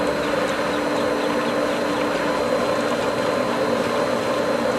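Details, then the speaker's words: Pool pump after opening winterized skimmer lines, valve cracked open gradually: steady pump whir with a rushing, hissy gargle as air comes through the skimmer line; pump ingesting air but regaining prime and clearing. "definitely hearing and feeling a lot of air coming through this and you see what's happening it's turning up in there because more air than it wants but it's clearing"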